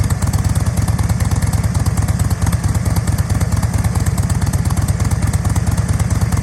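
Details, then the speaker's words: 2007 Thunder Mountain Keystone Softail chopper with 103ci Screamin Eagle Harley-Davidson engine, fuel-injected, under 1,800 original miles, fired up to show running condition: deep, even loping V-twin beat about three thumps a second, no misses or clatter; normal idle. "So okay, and let's go ahead and fire it up for you so you can see the running condition. Here, the fuel injection spooling up, and then let's go ahead and fire that up."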